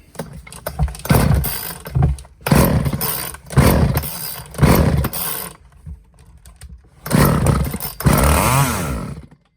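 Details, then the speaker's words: Old trash-found Craftsman chainsaw before carb rebuild, air filter falling apart, fed starting fluid: several short sputtering bursts that die right away; compression and spark present, but fuel line to tank is broken and there's no primer, so no fuel. "All right, cool. Well, so we know we got some compression, we know we got some spark."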